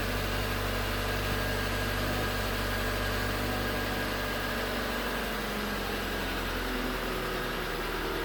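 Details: 2019 Hyundai Tucson 2.0L GDI Nu, 24,000 miles, cold idle on Mobil1 5W-20: faint, fairly quick knock under the running engine, owner calls it cold piston slap; switching to 5W-30 only slightly improved it.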